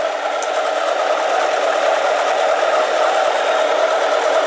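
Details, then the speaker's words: Harbor Freight 7x10 mini lathe taking light interrupted cuts on a 304 stainless bolt, not yet cutting continuously around the bar: steady motor whine with an uneven jerky rasp as the tool chatters and the carriage visibly jerks. "Taking light cuts because I'm not continuously cutting yet on the whole bar. You can hear it jerking. You can actually see this moving."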